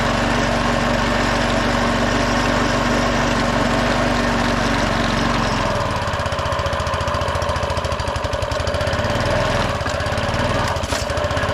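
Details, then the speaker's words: Repaired walk-behind lawn mower single-cylinder engine, oil probably overfilled, smoking after start: idle shifts and settles into a rougher pulsing beat around four per second, idle rising as smoke clears but not yet steady. "smoke is clearing up seems like the idle is coming up too"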